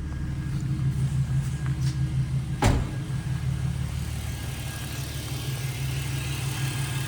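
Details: BMW E46 325Ci M54B25 on Megasquirt MS3X with new custom coil driver board, just started cold (coolant 63): engine idles with steady low hum and even beat, one short thump midway, no misfire; normal idle.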